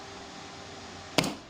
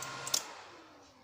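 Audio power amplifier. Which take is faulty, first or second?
first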